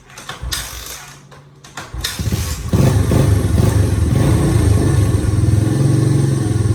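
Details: Old Honda Fatcat single, not run in about a year, after carb clean (sticking float freed), fresh gas and new plug, still cold: few starter pulls then catches into steady, healthy thumping idle with no misses; normal running.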